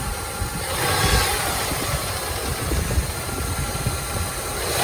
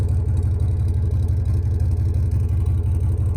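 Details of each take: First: 3rd-gen Toyota 4Runner engine: steady idle with light, irregular random tick each time revs drop; quieter at pan than top, so owner doubts but fears rod knock; constant once warm and idle lowers, heard 1,000–2,000 rpm driving; cause unconfirmed. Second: 3rd-gen Toyota 4Runner with new muffler: steady deep idle burble, even pulses about three per second, a little louder than original but clean; normal exhaust note.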